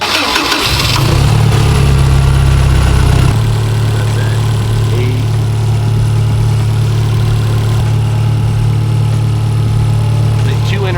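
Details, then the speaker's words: Engine with individual throttle bodies after syncing them to a visual baseline: catches, revs briefly, then settles to a steady even low idle with no misses or hunting; idle now really smooth. "You can hear it in the idle. Look at that. It's It's really smooth. really smooth now. Huge. You hear how smooth the idle is now?"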